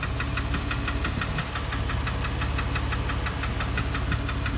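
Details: 2005 Porsche 997 S, Tiptronic, 82,000 km: sharp, regular ticking knocks, roughly three a second, riding over a steady idle hum; engine knocking noise.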